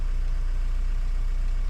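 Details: 2010 Renault Mégane 1.9 dCi diesel after a P0090 crank-no-start was fixed by repairing a bad fuel flow solenoid valve wire. Low, even rumble with a steady beat and no knocks or misses; healthy idle.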